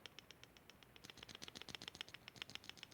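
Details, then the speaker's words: Kawai keyboard bought in 1993, key with a loose internal weight; fast, light metallic rattling clunks as the key moves up and down, not the felt, fixed by resetting the weight pins with hammer and center punch. "that is the weight that has come loose so every time my key is going up and down I'm hearing this clunking sound"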